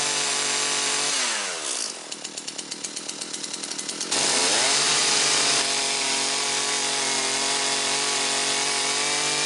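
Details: Husqvarna 325P4 pole saw, two-stroke, retested after repairing the ignition fault behind its severe miss and intermittent no-start (taped and sleeved): a few pull-start chuffs, catches, revs cleanly and runs smooth and even with no misses.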